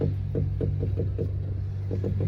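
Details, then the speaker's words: Honda Civic G10 (10th gen) with suspension noise complaint when the steering wheel is turned: low repeated thumps over steady engine hum, traced to a dry, binding strut top bearing. "a gente está aqui com esse Civic G10 tá que a gente está reclamando desse barulhinho aqui ó quando vocês Testa o volante"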